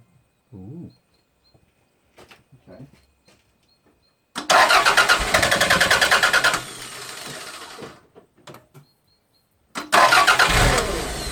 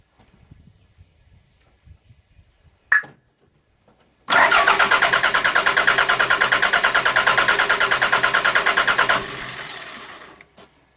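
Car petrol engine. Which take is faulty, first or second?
first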